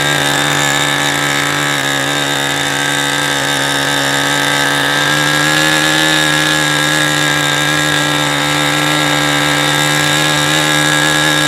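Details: New OS 40 SF ring glow engine, first break-in run, APC 10x6 prop, OS 8 plug, Cool Power 10% fuel, throttle stop preset, low-speed needle unset: loud high buzz wavering unevenly, rich; dying on throttle-up.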